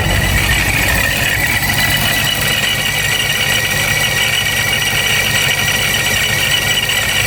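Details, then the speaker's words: Hellcat/392 Charger supercharged V8 with a low, lumpy idle around 700 rpm; constant gritty gear-grinding rattle heard only at idle, said to worsen when warm. Owner suspects supercharger gear chatter from the low idle. "as you saw there it's far more of a gear grinding sound it'll actually get even worse when it warms up I think it's just a part of the idle being really low"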